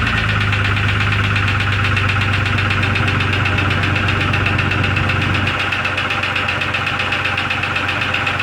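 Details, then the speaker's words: 2002 Jeep Grand Cherokee Laredo at idle after adding oil: quick, even ping-ping tick about four per second over a steady idle; cause unknown, owner suspects an internal knock possibly needing teardown. "now i got to figure out the knocking of ticking sound in the engine that's what i'm trying to do now"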